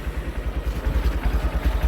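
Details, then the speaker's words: Used Honda Verza idling with clutch lever pulled during pre-purchase check; even regular low thumps, no rattle or grinding, so clutch basket sounds healthy (rough noise would mean basket damage). "pastikan ketika kopling ditekan seperti ini suara mesinnya tetap halus"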